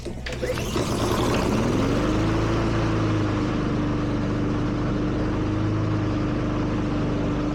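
Pull start, the engine catches and rises to a steady, even hum that holds smoothly; the mower runs normally.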